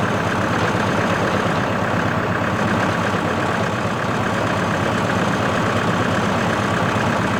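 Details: CountyLine PTO post hole digger on a tractor, 12-inch auger churning very hard clay, run gently to protect the shear bolt. Steady, even tractor drone with no knocks, squeals or labouring. Worked flawlessly, though clay falls back into the hole.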